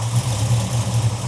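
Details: 1972 Dodge Charger just fired up after alternator replacement, given a little throttle: steady, even low idle with regular pulse, no knocks, squeals or misses; charging 13.9–14.8 V; normal idle.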